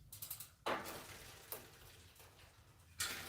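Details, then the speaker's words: Schwinn AL "Bundy" Comp bike after Microshift Advent X derailleur install and chain adjustment: light freewheel ticking and soft chain whir as cranks turn, no clinking or clacking; drivetrain running clean and normal. "That sounds pretty good. Doesn't sound like it's clinking or clacking. So that's good. We like that."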